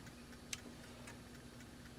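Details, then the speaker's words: ASTAR DVD player, mechanism oiled and adjusted, drive belt loose with a part unscrewed: light regular ticking of the pickup sled stepping with faint motor hum, normal sled travel. "a normal behavior that's the belt there this has been unscrewed so it's loose"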